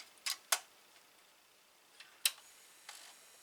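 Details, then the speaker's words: Atari 1050 disk drive head mechanism jamming: a handful of sharp, irregular clicks, about five in under four seconds, as the head catches instead of stepping smoothly; it keeps stepping forward, not back, feels rough and tight, owner suspects a bad belt. "You see, when I put it in, sometimes it gets like jammed. I'm gonna have to take this whole mechanism out. Like it's not falling in place correctly."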